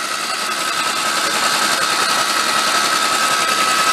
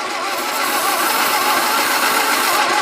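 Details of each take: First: 1953 MG TD parked 45 years, cranked with valve cover off checking for oil flow: smooth steady starter whir, no clacking; engine spins freely, normal cranking, oil flow achieved. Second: 1953 MG TD parked 45 years, cranking with plugs refitted and gravity-fed fuel: steady, even compression beats but it never fires. Owner suspects oil-fouled plugs.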